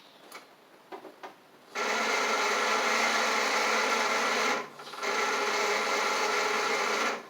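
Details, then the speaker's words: Craftsman riding mower with a brand-new battery reading 12.5 V: strained, whirring crank in two short bursts that never catches; owner suspects a bad starter, and a bad ground is also noted for clicking on start. "that sounds bad let me check the voltage of this battery brand new battery but you never know sometimes 12.5 so that ain't it I think the starter is [Music] just really bad"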